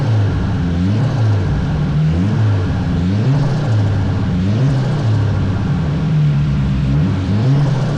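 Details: Nissan Sentra build, after a no-spark fault was fixed and new V-band exhaust welded: deep exhaust rising and falling with repeated throttle blips, each clean and back to steady idle; healthy.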